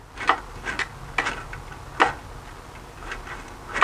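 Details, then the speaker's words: Harbor Freight belt sander during rebuild, after filing and balancing parts: sharp, uneven clanks every half second to second as it turns; a loose internal part flopping as it rotates. "clanking whatever that is what's causing that so I'm gonna continue to strip this thing down see if I can figure out where that's going"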